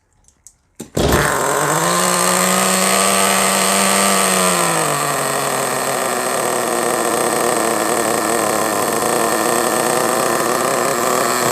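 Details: HSP Warhead 1/10 buggy, .18 (2.95 cc) Vertex nitro engine, primed and pull-started: fires, revs to a high buzzing whine, then settles into a steady, even high-pitched run; normal running.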